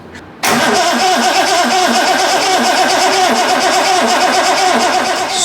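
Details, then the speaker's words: Triumph TR6 during restoration, start attempt: steady even cranking about five beats a second that never catches; no fuel because the electric petrol pump wasn't connected, after its safety cut-off switch was also found off. "if I move all this stuff out of the way you'll see that the pump isn't connected"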